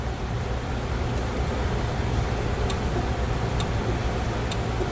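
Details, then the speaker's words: Camaro after rewiring, engine running: faint sharp clicks about once a second over steady engine rumble as turn signal relay flashes; flasher working, though front signals may not be. "This blinker switch, you gotta kind of mess with it to be able to hear the relay start flashing."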